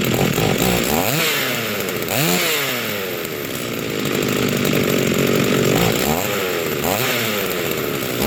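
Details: Rebuilt vintage Stihl 036 chainsaw with aftermarket Meteor piston and cylinder, new crank bearings and seals, new muffler and clutch, rebuilt OEM carb; first run, crisp buzz rising and falling cleanly through repeated throttle blips without hesitation; healthy.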